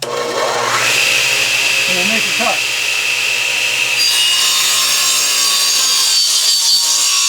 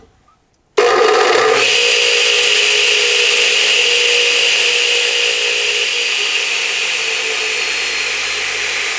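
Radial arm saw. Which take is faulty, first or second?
second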